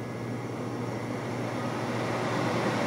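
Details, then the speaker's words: GFK-160 fireplace blower kit in an empty demo insert, just started on high by heating its thermal sensor: smooth steady hum and airy rush building slightly louder, no rattle or scrape; normal blower operation. "okay our Blower's now running it's running in the high position"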